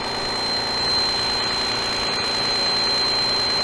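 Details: 2004 Toyota Avalon, cold petrol engine idling with a thin steady high-pitched squeal over a hissy note; customer complaint of belt noise when cold, belt suspected, not confirmed.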